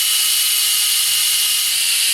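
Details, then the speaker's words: Briggs & Stratton 190cc horizontal-shaft head, valve lapped with a drill: steady high hiss whose gritty cutting edge fades as the lapping compound runs out and stops cutting. "think it's running out you can hear it it stops making a cutting sound"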